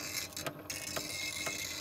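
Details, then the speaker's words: First-generation Wolverine Reels2Digital MovieMaker (720p belt-drive) digitizing a full 5-inch reel, internal temperature rising from 77° to 88°F. A thin, high squeak about twice a second over a soft whir from the drive. Cause unclear, heat and belt melting suspected. "you can really hear that noise it's making sounds like a squeaky"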